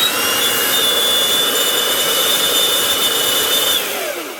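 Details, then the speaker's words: 26-year-old Makita 9402 belt sander, running rough and squealing before teardown, power cable broken: thin high whine over a gritty, rough hiss while running, whine sliding down as it coasts off. Bearings shot, bronze bushings need cleaning and lubricating. "She's a bit noisy. Something's making noise. Right. First off, going to need a new cable anyway. That's all broken. Second off, it sounds like there's a bearing gone somewhere."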